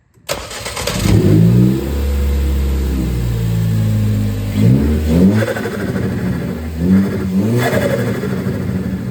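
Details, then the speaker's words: 2013 Ford Focus ST, Go Fast Bits T9354 diverter valve with preload loosened about 3 turns: revs rise and drop, and each lift-off brings a short fluttery turbo chatter, louder than at full preload. Normal diverter valve flutter. "So as you guys heard, that made the flutter a little bit louder."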